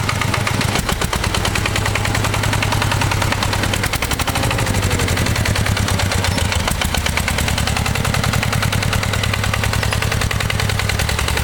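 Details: Single-cylinder walk-behind tractor engine after rebuild with new bushing, held at mid speed by a spring hand throttle, thumps along evenly with crisp regular firing and no knock; the earlier knock has stopped, slight gear wear noted. Normal running.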